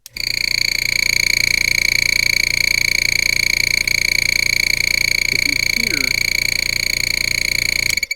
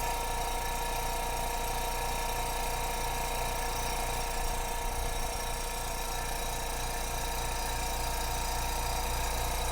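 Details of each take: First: New Spraygunner oilless airbrush compressor running with no hose attached: a loud, steady high-pitched squeal over a fast, even pumping beat of about three a second; piston blow-by, air getting past the piston. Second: New Spraygunner airbrush compressor running constantly with nothing blocking the air line: steady, even motor hum with a light regular pulse and no knocking or rattles; quieter than the old Amazon compressor, healthy.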